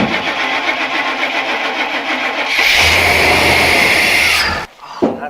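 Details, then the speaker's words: Long-sitting truck started on a couple gallons of gas plus fuel poured down the intake: cranks, catches, roars a couple seconds, then dies; fuel pump dead, engine runs only on priming fuel. "fuel pump's dead but it does run so i guess it's keeper"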